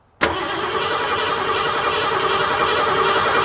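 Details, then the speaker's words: 1986 Ford F-150 5.0 L: steady starter cranking about two and a half turns a second while the fuel rail Schrader valve is pressed, no fuel comes out, engine never catches; crank no start, no fuel pressure. "all right that's good so there's no fuel pressure so our issue is no fuel pressure"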